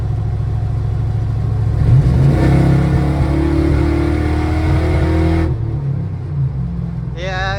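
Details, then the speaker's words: Engine drones under load going downhill, then abruptly drops out as it stumbles; car has a new fuel pump, 87 octane fuel, raspy muffler; owner suspects fuel octane or a lifter problem; cutting out under acceleration. "cutting out pretty good it pulls I mean it I I don't know it pulls like I guess it should pull but it is kind of cutting out"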